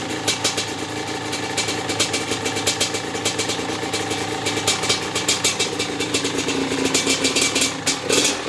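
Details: Maico 660 two-stroke dirt bike with new reeds and reed intake and clamp-on air filter, stationary after reassembly: crisp rapid popping idle, fairly steady with slight wander; started and restarted easily, idle needs adjusting, pipe sealed; normal idle.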